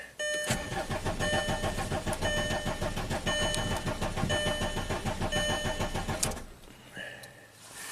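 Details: 2005 VW Passat TDI diesel, crank no-start after a cylinder head and camshaft swap, ran 8 miles then quit; steady starter cranking about 3.5 beats per second while purging air from the fuel system, no firing.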